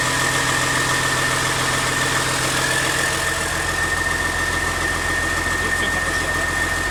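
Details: CAT C13 diesel after rebuild for destroyed camshaft, lifters and general wear: steady, even idle with a smooth, unchanging rhythm and no knocks or misses; normal idle.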